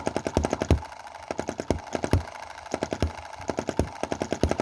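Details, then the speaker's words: Cheap Chinese EM2 (M19) hit-and-miss model gasoline engine, two months old, running rich with plug fouling; skips firing in threes, popping with uneven gaps and little power; misfire suspected from valve/cam timing, before timing adjustment. "just doesn't have a lot of power and you can hear those... kind of - misfires"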